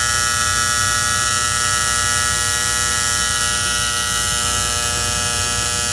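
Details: Antique gas furnace with a steady, loud, constant-pitch electrical buzz from the magnetic diaphragm gas valve; the owner suspects the plunger with spring, not confirmed.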